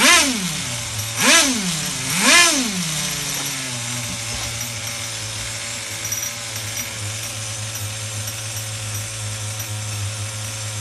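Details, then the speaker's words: HPI RS4 Nitro F150 RC car bench tuning: small nitro engine blipped three times, revs linger briefly before settling to idle instead of dropping immediately, the low-speed (bottom) mixture slightly rich, near race tune. "I hear the Bottom's just a tad bit rich [Music] and you hear how it's staying red"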